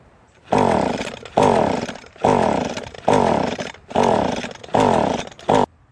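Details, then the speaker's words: Echo string trimmer after carburetor replacement: six rope pulls about a second apart, spinning freely but never catching; compression test shows extremely low compression. "unfortunately this is where everything goes wrong I did check for some compression but it may not and unfortunately the compression number is extremely low"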